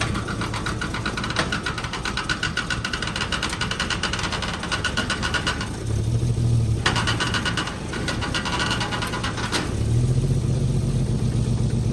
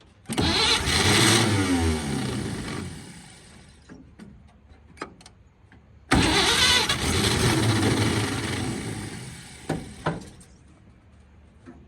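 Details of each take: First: 1946 Chevy boom truck inline six, revived after 35 years sitting with water in the oil pan and two cylinders and a locked engine: steady, slightly lumpy beat with mild rev swells, no standout knock; runs pretty good. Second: 1946 Chevy boom truck engine, sat 35 years in a field, previously water-filled and locked up, cranks on a pump-sprayer fuel feed with ether, catches with a rough burst for a couple of seconds, then dies; tries twice but won't keep running.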